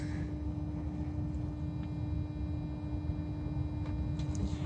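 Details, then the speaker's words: 2012 VW Tiguan TSI 4motion, engine off, key in first position, heard from underneath near oil pan; steady low constant-pitch hum, battery drains fast; owner suspects oil pump running, not confirmed. "so I don't know if you will hear it but I'm gonna put it right in that area over there and you will hear some kind of humming noise it is better to hear from underneath the car so this is a front of the car"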